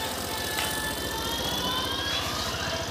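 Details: Suzuki Access 125 BS6 scooter after idle RPM adjustment to fix high RPM: even, steady low putter at idle with no hunting or surging, background music; idle now correct and rear wheel not creeping.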